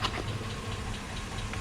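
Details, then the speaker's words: 2005 Chevy Suburban 5.3L V8 after a 20-minute idle with engine flush and an oil change: light, quick ticking from the passenger side over a steady idle rumble, possibly still present. Valvetrain tick, suspected lifter. "okay so it's been an island most of the tickets coming from from passenger side and I don't know if it's quieted down or not just yet still kind of hear it in the distance"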